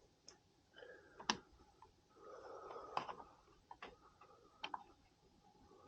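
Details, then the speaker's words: Furnace system with a standing pilot: the thermostat is adjusted by remote, and a few sharp, isolated clicks sound at irregular intervals in a quiet room. These are the relay click the owner sometimes heard; the thermostat had earlier failed to click and is now switching normally. "remember when I said like sometimes you would hear a click what that thing yeah it was I've never heard a click all right hold on sh yeah I would hear a click now see click"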